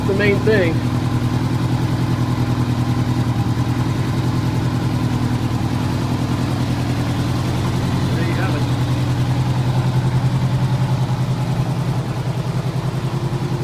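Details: 1985 Honda Gold Wing GL1200 Aspencade flat-four, warmed up, freshly rebuilt carbs and cleaned tank, after sitting seven years: steady, even low idle beat with no misses, knocks or ticks; healthy.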